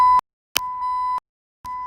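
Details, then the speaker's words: 2001 Saturn S-series with a Bluetooth radio at key on: three clean mid-pitched beeps with short gaps, the radio's welcome chime working normally. "see it sounds good and you turn it off it says goodbye so there you go we got somebody singing hello and goodbye to you when you're alone driving the car"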